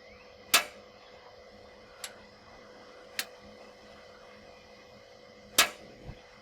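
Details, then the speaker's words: Blackstone Adventure Ready portable propane air fryer on a propane tank: holding the light button gives sharp piezo clicks about a second apart, then a louder snap as the gas catches and the burner lights normally. "To get started, simply push the light button, push it in, hold until the click."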